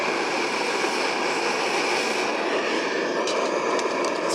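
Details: White gas camping stove burning while drying a pot before shutdown: steady, even hissing roar with no sputtering, popping or surging; burner running clean and normally.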